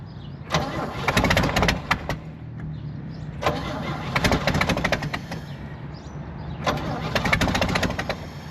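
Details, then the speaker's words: 1964 Chevy C30 1-ton truck, choke pulled, carb bowl full: three cranking bursts each catching a second or so of ragged firing then fading; engine fires briefly then dies, possibly after using the fuel in the bowl. "let's pull the choke make sure that we can get a little fuel oh look at that we got some firing going"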